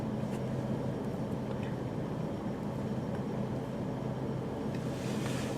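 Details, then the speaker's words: 1997 Mercury Grand Marquis 4.6L after new spark plugs and a replaced original MAF: a quiet, steady idle hum with no skips, and fuel trims now near 0. The earlier skip was blamed on bad spark plugs. "The car sounds great. So, obviously the spark plugs were shit."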